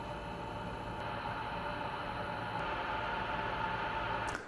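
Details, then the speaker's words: Asus ROG Strix 1000W Platinum PSU fan, double ball bearing, at low speed: steady whir with a thin ringing tone and a faint rough buzz, typical ball-bearing noise. "Here are some sample audio clips from the fan’s noise at various speeds for you to see (hear) the bearing noise I'm talking about."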